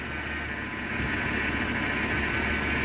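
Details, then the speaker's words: 1989 Jeep Comanche Eliminator 4.0L, AW4, 2WD, cold idle, probably no thermostat; a little uneven idle with a steady high whine riding over it from a complaining power steering pump, likely needing replacement. "And in regards to that I mean it probably doesn't have a thermostat or you can hear that power steering pump complaining"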